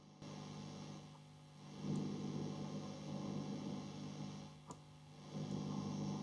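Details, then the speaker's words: Tube amp with a reverb tank isolated on the wall: a steady low hum and hiss with an occasional sharp ping every few seconds, like springs vibrating; suspected faulty reverb driver valve, rarely the transformer. Not confirmed. "Sometimes you get a little pinging. Now that sounds like it's somebody's moving the reverb tank, but that tank is up on the wall isolated. That's normally a faulty reverb driver valve itself that causes that."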